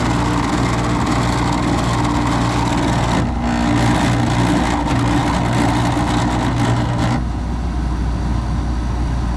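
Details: Carrier GasPack unit after motor replacement: loud steady even hum with constant low drone and no knocking, rubbing or wobble; motor runs smooth and healthy.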